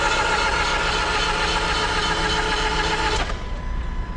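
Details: 2016/2017 Land Rover Discovery Sport 2.0D 150 PS SE diesel, 154,060 km: steady even cranking churn for about three seconds that never catches into a run, then cuts off. Turns over but won't start.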